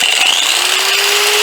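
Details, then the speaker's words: Harbor Freight Warrior-brand angle grinder. Thin, high motor whine that climbs slowly and never reaches full speed; grinder running weak, owner suspects burnt-up brushes. "they won't hardly run I imagine the brushes are burn up don't buy them"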